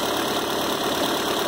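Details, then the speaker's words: Engine after a service including spark plugs, coils and belt/tensioner, first start with the engine mount not yet fitted. Steady, even idle with no knocks, misses or belt noise, tensioner working and timing correct: normal idle. "Tensionador lá bacana, chique, fazendo o trabalho dele ali. E o motor sereno, no ponto certinho."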